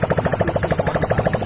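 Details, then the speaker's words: Hero Passion Pro motorcycle after a full engine rebuild and fresh oil, kick-started and run without the exhaust pipe fitted: loud, crisp, evenly spaced pops at a steady idle, no knocks or misses; running fine. "अब चलिए दोस्तों हमारा जो आप जो sound सुन रहे हैं bike की वो दोस्तों बिना एग्जॉस्ट पाइप लगाए हुए, ठीक है।"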